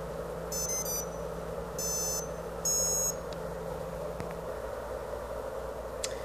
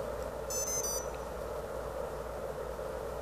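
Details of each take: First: Multirotor ESC running BLHeli 13.2 powering up: quick bursts of high musical beeps, three at power-up and then two confirming the motor is armed, a normal startup. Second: ESC on BLHeli 13.2 with Baseflight flight controller, powered by battery: three rising startup tones then no arming beeps; delayed PWM signal leaves ESC stuck in bootloader, motors won't spin.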